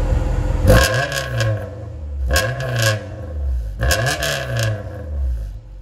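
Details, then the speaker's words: Cold engine with a home-welded straight test pipe in place of a broken electric exhaust cutout, blipped three times, each rev climbing sharply into a harsh, raspy bark; loud and crude, and the owner says it still sounds like crap. "it still sounds like crap but I don't have that stupid electric cutout"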